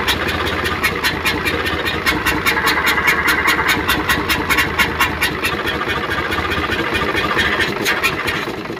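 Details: Hino Euro diesel truck with smoke and missing complaint, idling after start: steady sharp chuff-chuff pulses about two per second over idle; mechanic suspects dirty valve seats.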